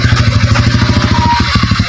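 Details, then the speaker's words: Suzuki Shogun after engine work with new 6203 bearing, previously noisy when squeezing the clutch especially in first gear; test ride shifting gears: quick, even single-cylinder beat, no whirring or rattle, now quiet and normal. "Pero pagka kinakambyo mo, saka pinibigyan mo yung touch, walang tunog ka. Ayan na. Na, okay na."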